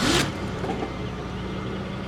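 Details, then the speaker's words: 1995 Chevrolet Monte Carlo LS at 88,257 miles: brief crank, catches at once and settles into a smooth, even idle with no stumble or misfire; healthy start. "Starts up very nicely, as you can hear."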